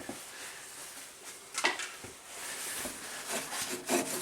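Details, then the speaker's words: 2009 Subaru Forester with burning smell and power loss, serpentine belt cut off, engine hot: pulley turned slowly by hand gives uneven gritty rasping in bursts; A/C compressor clutch pulley bearing has completely seized. "that's making the sound it's completely completely cease"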